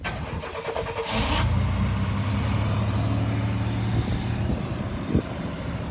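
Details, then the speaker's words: Chevy K1500 pickup that sat for a few years, with a fuel leak just fixed and the fuel pump cycle not heard. Brief cranking, then it catches and settles into a steady, even low idle with no misses or knocks: a normal start. "It runs. Give it a little bit. All right, that's good."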